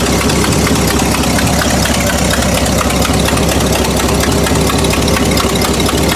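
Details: Buick after new cap, rotor, wires and ignition coil: loud rough idle with an uneven stumble about once a second; misfire persists, won't idle properly; owner suspects points/condenser, dirt or oil under distributor, or fuel delivery.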